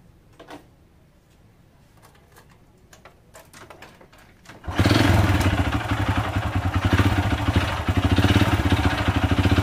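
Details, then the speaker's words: Honda Supra Fit New motorcycle engine starts and runs with a harsh, gravelly clatter like stones inside, before teardown; connecting rod and piston knock. "Nah suaranya itu kasar seperti ada batunya di dalam itu ya apa saja yang perlu kita ganti"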